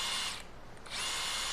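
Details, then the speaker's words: New Ingco cordless 8-inch battery chainsaw run without load right after power-on. A high, clean electric whine spins up smoothly, dips briefly, then holds steady. Normal no-load run; the motor rotates well. "இப்ப வந்து machine நல்லா on கண்டிஷன்ல இருக்கு நல்லா rotate ஆகுது."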